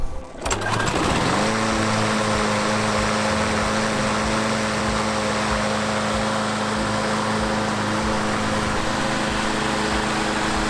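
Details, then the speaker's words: Free roadside walk-behind mower after a tune-up with oil change; the drive system works. Pulls into life, then settles into a steady, even drone with no misses or knocks: healthy normal running. "I guess I would call that a success with the free mower just did a few maintenance items really nothing too crazy here at all and seems to work the drive system works"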